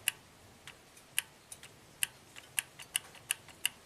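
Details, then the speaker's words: Astra, new dealer OEM VVT oil control solenoid (exhaust) click-tested for codes P0014/P0016: crisp, even clicks on and off, quieter than before because it is full of oil; the solenoid is working properly. "It clicks very consistently, not as loud as it did before because now it's full of oil."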